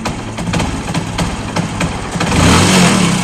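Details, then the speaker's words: Fashion Pro motorcycle, cold morning start: ragged, uneven single-cylinder idle, missing and stumbling, stalls repeatedly unless throttled hard, as if running out of fuel; needs choke until warm; lean mixture. "ऐसे कर रहे जैसे petrol सा खत्म हो रहा"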